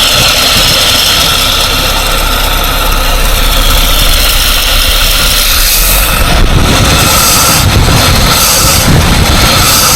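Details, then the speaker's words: 1947 Dodge, once started after carburettor and choke work, warming up: even steady running with no misses or stumbles; running too nicely for a major inlet gasket or vacuum leak, normal idle. "once it starts it sounds fine I just can't help thinking that if there was a major Inlet gasket leak it wouldn't be running this nicely"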